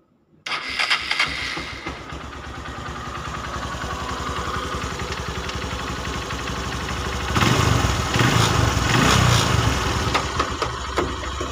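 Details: Honda Megapro 150cc that ran rough and smoky, after a rebuild from the cylinder block up: the engine catches quickly and settles into a smooth, even idle with a couple of throttle blips; no longer rough.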